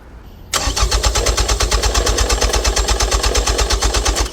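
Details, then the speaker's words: 2005 Nissan Altima 2.5 L, crank no start, IDPM and PCM already replaced, scope on injector: starter cranks steadily about three turns a second for nearly four seconds, never fires; no injector pulse, security/immobilizer issue suspected, not confirmed. "we have absolutely no injection bones okay so we have no injector pulse so now I'm going back to thinking it as a security issue"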